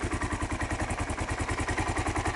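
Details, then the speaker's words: 2001 Kawasaki KLR 650 single after a cold start with choke, now idling with choke off: steady, even thump, no knocks or misses. Owner says it sounds very good, takes no oil, gets about 60 mpg; normal idle. "Idle a little. Sounds very good. No problem with it."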